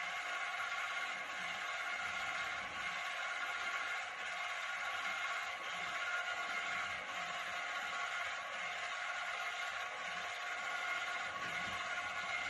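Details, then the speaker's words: Model beam engine driven by a DC motor, run at top speed: steady high-pitched whine over light mechanical clatter comes from the DC motor's reduction gearbox, not the engine itself. "once again that whining noise is from the gearbox in the the DC motor and not the not the engine itself"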